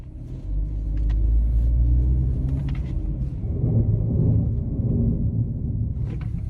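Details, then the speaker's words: 2012 Chevy Equinox braking at about 5 mph: a deep, rough growl from the front brakes, metal-to-metal contact from worn pads; a caliper piston may be stuck. "so that is the front brakes making noise so i drive like five mile per hour and step on the brake and you hear the growling noise and metal to metal contact"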